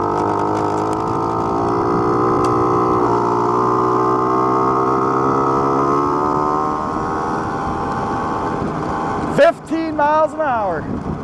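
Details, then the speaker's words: Honda Spree two-stroke moped running rough while riding after exhaust was cleaned out (burned out oil); uneven stumbling buzz rising and falling, needs more carb adjustment; tires also wobbling. "still having some issues we're definitely gonna have to do some more carb adjustment on this thing guys"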